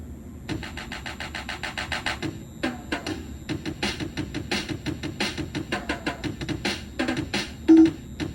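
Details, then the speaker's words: Williams pre-DCS pinball sound board in sound test with Addams Family ROMs, after replacing one TL084: music comes out choppy and distorted, barely recognisable; startup bong present but following tones missing; sound board still faulty. "Immediately, you can tell that that is obviously not correct. It almost didn't even sound like Adam's family, but you can kind of hear it."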